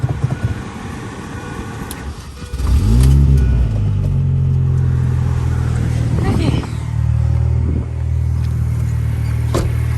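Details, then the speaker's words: Mini Cooper R53 after new spark plugs for cutting out and misfiring: engine catches and settles into a steady idle with clean blips, running evenly with no stumbles. "Well, it seems better. Seems a little happier."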